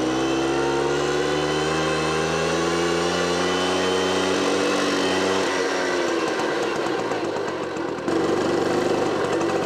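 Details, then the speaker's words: Automatic two-speed Tunturi Pappa moped with centrifugal clutch, two-stroke, during carburettor service; idle steady but quick, dipping slightly while adjusted; idle set too high, clutch starts spinning, needs lowering. "the idle speed should be a little lower, I want to go all the time"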